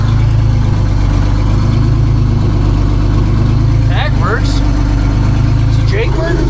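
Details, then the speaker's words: 1965 GMC "Cracker Box" cabover with a Detroit Diesel 6-71 two-stroke, running after sitting; it builds air and barely smokes. A deep, even, strong diesel beat with no knocks or misses is heard. Normal running; described as very smooth. "It's pretty freaking cool it runs. Again, I mean [snorts] I knew it ran but honestly this is one of the nicest running 671's I've had. It just runs like a million bucks."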